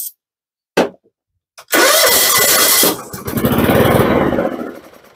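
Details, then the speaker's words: John Deere GT262 mower that won't run, tested with carburetor cleaner sprayed into the intake. After a few cranking bursts it catches, runs roughly about three seconds and dies, showing spark is fine. "all right so that's what it means that it pops off so we know that when we spray the carburetor cleaner that we have enough going on here"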